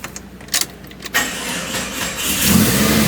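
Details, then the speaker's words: 1999 Jeep Cherokee with freshly rebuilt engine: short sluggish crank for about a second, then it catches and revs up; battery a little dead, injectors audible over a good-running motor. "batter's a little dead but I always like the motor but no it's exep on the older ones you can actually hear the injector over the motor so good running motor"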